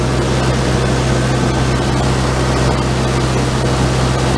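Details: PE-197 generator engine with replacement oil-bath air cleaner and elbow fitted, not yet hot, set to 120 volts AC, charging battery: steady, even low drone, no knocks or misses; running smoothly with excellent oil pressure.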